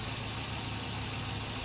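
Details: Car engine idles smoothly and evenly with a steady low hum and no knocks or ticks; the suspected rod knock is not present.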